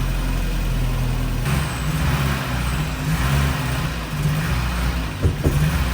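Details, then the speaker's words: Porsche 924 first start after over 10 years parked, with fresh fuel, oil and brake fluid: it fires right up but idles roughly and stumbles, wanting to die, whenever throttle is given; cause not yet checked. "it seems anytime I try to give it throttle though that it wants to die out or something so we have to check that out"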